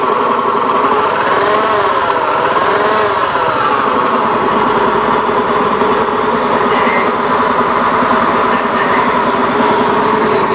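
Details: Honda Beat FI eSP eco scooter with a rough-sounding engine: running at steady speed with a coarse, buzzy, uneven note throughout; cause not identified; rough engine noise.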